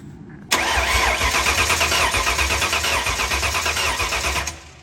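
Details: Freshly built Ford Mustang 5.0 V8 with new BBK headers cranks steadily for four seconds at about three beats a second, never catching. Fuel is confirmed but there is no spark: cranks but won't start.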